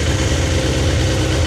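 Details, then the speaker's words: Older raw sportsbike (no ABS or traction control), first cold start since purchase: smooth, even low exhaust burble at steady idle, no ticks or misfires; sounds sweet, better than owner's Fireblade; old oil and fluids still to be changed. "Well, that sounds sweet. That engine sounds"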